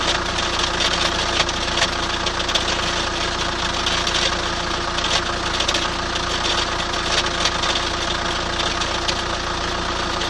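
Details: 2003 Chrysler Voyager 2.5 CRD diesel idling with a rapid, hard clatter and rough ticking throughout; engine knocking noise, cause not identified.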